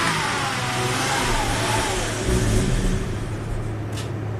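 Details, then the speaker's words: 2004 Volvo XC90 T6 twin turbo AWD, usually crank-no-start with MAF and crankshaft position sensor codes: engine catches, runs briefly, then sags and stalls after about ten seconds, appearing to run out of fuel, with uneven injector pulses seen. "ty decent while I was running and then after you know from 12 to 20 seconds about 10 seconds then just quit why why would it quit"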